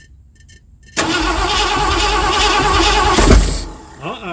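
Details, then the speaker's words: 1979 Ford F-100 that sat for years, extra gas poured in carburetor: steady starter churn, one lone pop near the end showing it has spark, then quits; cranks with weak firing, no start. "No. Okay. One little poof. So, I know it's got a spark."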